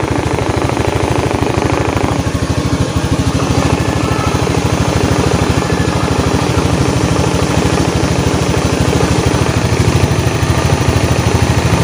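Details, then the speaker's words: Honda Beat FI eSP scooter after replacing the worn connecting-rod (crank pin) bearing: even, regular low thrum at steady idle with the earlier humming drone gone. Normal idle. "Oke teman-teman jadi suara sudahah normal ya jadi penyebab tadi bunyi denggung itu kelahar askrknya yang minta ganti"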